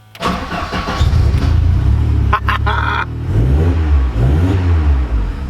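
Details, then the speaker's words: Ford Sapphire RS Cosworth after fitting a new fuel pump loom, in neutral: fuel pump buzzes, engine cranks briefly, catches and idles steadily; 12.7 V measured at the pump; normal start. "Fixed it. I hear the fuel pump buzzing there."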